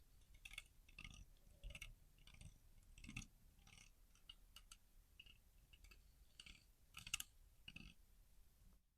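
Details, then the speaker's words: Stihl MS261 chainsaw crank bearing turned by hand after sitting with watery fuel: dry, gritty clicking and rasping each spin; plastic cage disintegrated on one side, rust pitting on inner race, both bearings failing. "Yeah, that was they were both failing."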